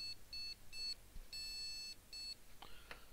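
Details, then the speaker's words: Asus H97M-E motherboard with i7-4770 CPU, powered with no RAM installed and a heat sink resting on the CPU; it gives repeating high-pitched beeps in short bursts with one longer tone, showing the board is alive. No-memory POST beep code. "that's good so it bleeps without any ramen that's that's uh that's a good start for sure we know it's basically alive"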